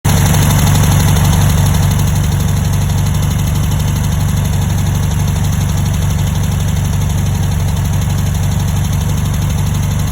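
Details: 1960 VW single-port air-cooled engine idling with a deep rough throb and steady knock about three times a second; noise chased for months, worse when warmed up, number two cylinder burning a little oil.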